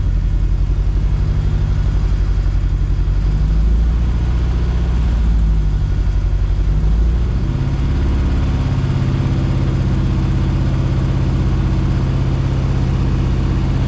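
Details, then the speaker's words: Mk2 Fiesta Zetec turbo build, held fast idle, stumbles unevenly with beats dropping out; misfire caused by an HT lead not seated on the coil; ran on all four once fixed. "Sounds like it's missing. Is that missing? Yeah."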